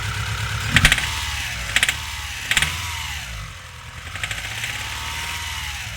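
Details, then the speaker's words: Mitsubishi Galant 6 (E32A) with 4G37 engine: after starting it runs unevenly and throttle blips are ragged and stumbling, misfire suspected. "завелась работает криво даём"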